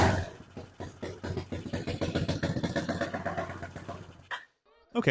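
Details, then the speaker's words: BSE J10 single-cylinder dirt bike with low compression, weak battery and non-working decompressor, just started: uneven, lumpy chugging that never climbs; engine runs but won't build revs, cause not yet found. "Well, we got it started. That's already a win. Now we just need to figure out why it won't let us build up the RPMs."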